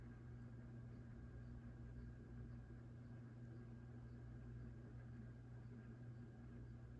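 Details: 1987 View Fan Spinner V36R 36-inch ceiling fan, run straight from the outlet because the pull chain is rough, reverse not working: steady low one-pitch motor hum under soft airflow, canopy vibrating from not being mounted fully up; no scraping or ticking, bearings sound fine.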